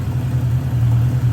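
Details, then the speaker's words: 1979 Honda GL1000 Gold Wing flat-four after valve seal replacement for excessive smoking; deep, even low rumble with a slight rise in revs, no misses or knocks; no smoke; normal idle. "we're looking good here guys I'm really impressed with this I'm sorry I'm talking over it I'm just letting you watch the thing run"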